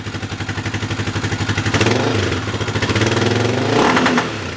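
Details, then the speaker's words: Yamaha 660 single-cylinder on new carb with old jets swapped in, cold start; rough bark about four times a second, uneven popping and stumbling on throttle blips; owner suspects incomplete jetting, lean condition. "It's running a lot better, but let me show you something that's wrong. It's cold, so it's not going to start very well."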